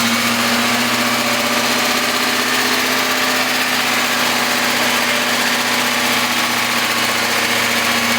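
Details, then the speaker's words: Freshly rebuilt BMW S62 V8 at first start-up: steady loud idle with fast, fine ticking over the engine note; lifter tick. "Sounds like an S62 with some lifter tank, huh? You successfully rebuilt, so far, an S62. Congratulations! Hell yeah! Some lifter noise."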